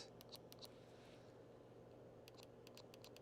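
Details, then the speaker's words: Button test on a repaired Nintendo DS Lite with the fan switched off. Crisp, light, separate clicks come in quick bursts over a quiet room hiss: the buttons work and sound normal, confirmed by ear. "I want to hear if these buttons work now. They do. I hear it."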